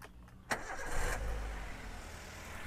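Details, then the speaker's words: 2010 Toyota Avanza G (silver) used car: brief crank, quick catch, then a quiet, even idle without stumbling; engine standard for 2010, not rough, fairly okay. Normal start and idle. "Mesinnya 2010 standar lah, nggak kasar, nggak, cukup oke."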